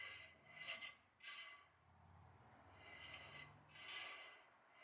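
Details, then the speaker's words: 1966 Plymouth Fury front drum, new shoes installed, spun by hand: faint, soft swishing rasp rising and falling once per turn as the shoes lightly touch the drum, much better than the earlier distinct scrape; star adjuster may need backing off. "now if you hear that that is that noise right there is pad to drum"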